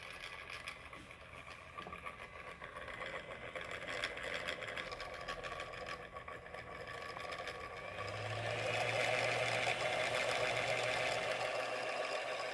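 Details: MSI PE60 6QE gaming laptop: faint steady whirring rush, then low hum joins as fan spins up louder; annoyingly loud cooling fan, cause unknown, unrepaired.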